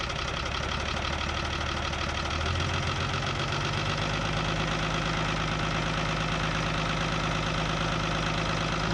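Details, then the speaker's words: Isuzu 6BB1 diesel in a 1975 Chevy pickup, sitting since 1992, fuel pump being bled: slow heavy chugging crank about two beats a second, starter straining on each compression stroke without firing; strong compression suspected of loading the starting system. "thing sounds like a tractor I mean it basically is okay got to let the starter in battery cool down again the compression on this thing must be great because it's just being really rough on this starting system"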